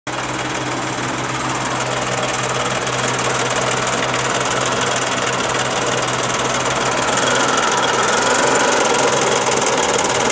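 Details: Daihatsu Charade '85 engine running steadily with a fast, fairly even clatter of about four knocks a second; engine knocking noise, cause unknown.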